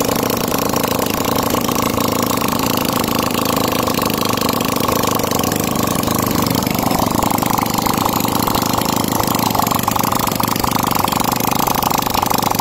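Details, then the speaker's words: Yamaha Jupiter single-cylinder after top-end rebuild, timing chain retimed, cover refitted with gasket oil for a leak, carb reinstalled, first start after sitting about two weeks: busy, clattery idle holding steady and even, no misses or surges; normal. "So yan kakabitan na ng carb and then pinaandar na ni Boss Gary. Pakinggan natin yung andar."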